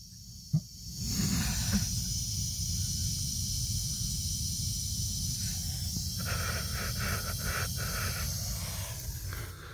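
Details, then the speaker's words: Irrigation valve box at a property where the water company saw constant flow and shut off the supply: steady rushing hiss as the box opens, water passing through one of the valves that should be shut. The valve is leaking through. "I open up this valve box and you can hear water passing through one of these valves"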